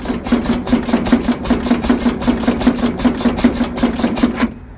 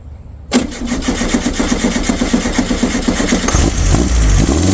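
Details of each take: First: Abandoned VW Beetle Baja Bug race car left sitting for years, timing checked at number one: quick even starter chugging about four or five compressions a second, no firing; crank-no-start, possibly weak coil suspected. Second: Abandoned air-cooled VW Baja Bug race car, first cold start after adjusting timing that had been too far advanced and adding extra fuel. It catches and settles into a steady, slightly lumpy but even idle while warming up.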